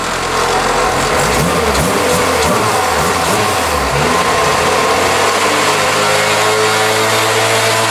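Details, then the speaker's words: 1991 Honda CR-X Si, engine revved up and down with old alternator; thin whine rising with rpm over a rough drone; alternator bearing noise, alternator to be swapped. "hold on Fellers let me get you in here that is a problem hold on it don't make any like they don't do nothing weird it just sounds bad"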